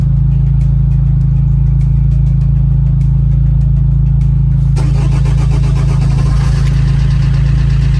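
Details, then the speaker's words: Vauxhall Corsa D 1.3 diesel idling just after starting, following number 2 injector replacement and coding (after ECU water damage and EEPROM swap): steady low even clatter with no misfire and no dashboard lights; normal idle. "sounds good as well excellent norville misfiring excellent I don't have any lights on the dashboard brilliant"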